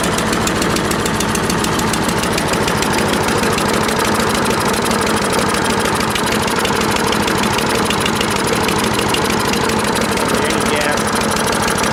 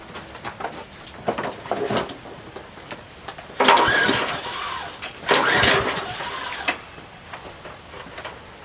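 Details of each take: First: Troy-Bilt 12AV566N011 mower after cleaning the carburetor bowl and main jet: loud, fast, even firing at steady speed with no misses or surging; runs smoothly. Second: Troy-Bilt 12AV566N011 walk-behind mower with automatic choke and no primer, unknown history: repeated pull-cord tugs with brief sputters that never catch, bowl overflowing, stopped when tapped; diagnosed filthy carburetor with sticking float needle valve causing hard starting.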